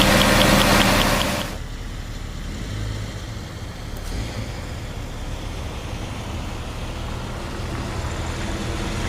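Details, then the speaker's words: Warmed-up Jeep at idle: steady light tick, about three per second, over the engine note; owner thinks he found the ticking source, not pinned down. "I think I just figured out with that ticking noises what I was hearing"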